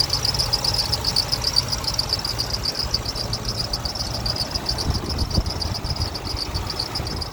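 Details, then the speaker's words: High rapid chirp two or three times a second over a steady idle of a 2006 Toyota Tundra SR5 4.7L V8 at 233,484 miles, heard under the hood; squeaky serpentine belt, no ticking or misfire. "Everything sounds good besides that squeaky belt down there. Don't hear any kind of uh ticking or doesn't seem like it's missing or anything."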